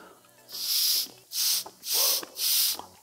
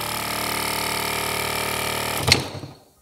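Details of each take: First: BMW F-series air suspension compressor during disassembly, air blown by hose through the removed discharge valve: four sharp bursts of hissing air pass straight through because the discharge solenoid valve is stuck open. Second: Repaired BMW F-series air suspension compressor on the bench, motor powered directly from 12 V battery: smooth, steady buzzing hum as it builds pressure, running normally; ready to refit.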